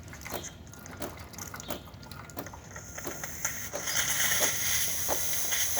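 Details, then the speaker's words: DeLonghi Magnifica espresso machine after full service and tune-up: soft pump ticking, then heating and a steady, even high hiss from the steam wand; steaming works normally. "And now we're going to turn it off and test steaming. You're going to hear the little pump go off, and then after heating"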